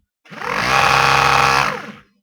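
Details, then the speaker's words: Used eBay ABS hydraulic pump motor for a Ford Focus 2.0 TDCi (ABS light, code C1288-E0), spun on the bench: harsh buzzing grind; bearing appears gone, suspected. "and that sounds like the bearing's gone"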